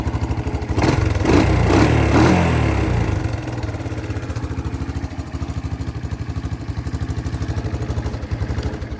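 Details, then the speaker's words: 1984 Honda ATC 200ES Big Red, one owner, started after 20 years after carburetor and tank cleaning and electrical repair: single cylinder thumps at a steady, even beat after early clatter, no misses or knocks; runs well. "So it runs pretty good."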